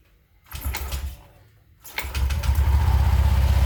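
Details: Honda Vario 125 scooter after clearing dust from the clutch bell with compressed air to cure take-off judder: two start attempts, then a steady, even putter at about four beats per second with no judder or clatter; normal idle.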